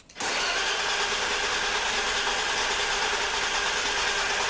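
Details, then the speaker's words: Barn-find BMW E34, right after a wrong 7.5 A fuse at fuse 23 was replaced with the correct 15 A fuse: a steady, even starter whir for about four seconds and the engine never catches; no fuel pump is heard, and the owner suspects bad gas. "i don't hear a fuel pump oh maybe it's just quiet though"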